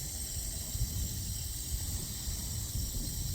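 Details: Water supply line after Moen shower valve replacement, valve reopened with sink faucet open to purge air: steady even hiss, no banging or sputter, normal refill flow.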